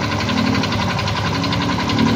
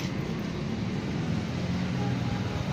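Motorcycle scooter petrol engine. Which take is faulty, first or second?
first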